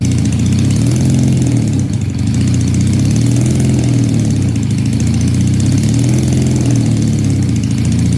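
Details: Supercharged Honda CL175 motorcycle during tuning: low, loping idle rising and sagging unevenly every second or two; smoke test found no vacuum leak, cause unconfirmed.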